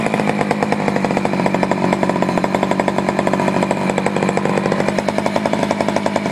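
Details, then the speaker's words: Poulan 4200 chainsaw, warmed up after a cold start, reported running a little lean: rapid pulsing buzz at steady high speed with a flat, muffled edge, sound changing as the bottom low-speed screw and idle are adjusted. Mixture still being tuned. "I see what you was saying I hear the change of the sound it was uh kind of had a kind of a muffled type"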